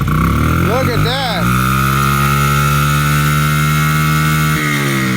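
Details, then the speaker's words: 2008 Honda CRF50 right after its carburetor replacement, first kick start: small single fires, blips up twice, then holds a steady fast idle that won't settle; the throttle needs adjusting. "We're gonna have to adjust the throttle. Yeah. But that was a good fire, first kick."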